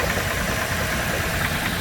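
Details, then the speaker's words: Nissan Elgrand diesel, stone cold, with excessive blow-by and heavy smoke: rough idle with a faint regular knock under the clatter; mechanic suspects a bearing, before engine-cleaner treatment. "Yeah, there's a slight little engine knock."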